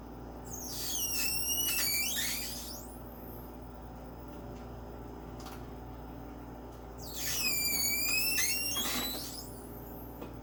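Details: Personal Chiller countertop nugget ice maker, one day after purchase, gives loud high-pitched squeals in bursts every six or seven seconds over a low hum while making ice.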